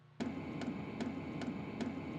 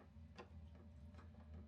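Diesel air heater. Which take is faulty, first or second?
first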